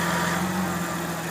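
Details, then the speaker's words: After a power steering fluid flush and refill, done to cure AC-use overheating: steady idle with only a low hum and no pump whine, meaning the fluid is full. "There we go. That power steering pump stop whining which means it's full."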